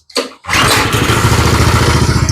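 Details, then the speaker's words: Small go-kart engine after raising idle screw about one turn: quick catch then strong steady thumping idle slightly fast, kart creeping; idle set slightly high, to be turned down. "there we go that feels better now she's creeping a little bit so I'll turn it down"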